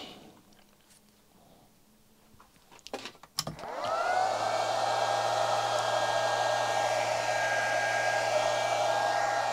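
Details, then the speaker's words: Chinese handheld arc (stick) welder with its output shorted: after a clunk, the fan whooshes steadily with a constant mid hum, drawing only about 4 A from the mains at low output voltage. It runs healthy under the short-circuit load. "yeah it doesn't seem too unhappy putting out sort of current into a short circuit i'm not going to leave it on too long actually it's only pulling about four amps from the mains"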